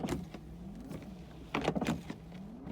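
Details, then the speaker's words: 1983 Ferrari 308 rebuild, wipers now working after reconnecting a loose red-and-white wiper-speed wire: quiet motor whine rising and falling in sweeps about every second, with clunks at each end of travel. Normal wiper cycling with bad blades. "But anyway, we've got wipers working now, that's great."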